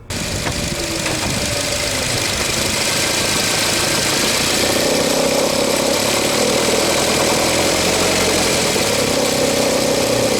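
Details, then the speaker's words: Nissan NV200 with MR20DE petrol engine, in drive: diesel-like clatter, worse when accelerating from a stop and on cold start, first suspected as piston slap, is the tensioner knocking from a stretched accessory belt. "an NV200, the Renault engine sounds like a diesel. It's basically the tensioner when the belt gets stretched."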